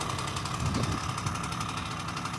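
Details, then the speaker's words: 1974 Honda MR50 two-stroke, after heat cycles and carburetor adjustment: a fast, even crackle with a steady tone; no misfire, no hunting, no leaks. Normal two-stroke idle. "She's running good, not leaking, doing what it's supposed to do. Carburetor's acting right. Sounds great."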